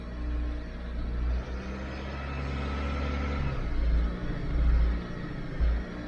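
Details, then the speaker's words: 2012 Dodge Avenger in limp mode, check engine and lightning bolt lights on, idle problems on and off: revs swell briefly and flatten out, locked out near 2,000 rpm; faulty throttle body to be replaced. "see the RPMs only it's got me locked off at 200,000 RPMs Target Auto speed is 15 so what I'm going to do is I'm going to change that throttle body"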